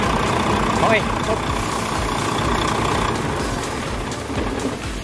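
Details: Volvo truck diesel after a cranking no-start and hard-starting fuel system fix: steady, even clatter that settles slightly with no misses or stumbles; normal idle.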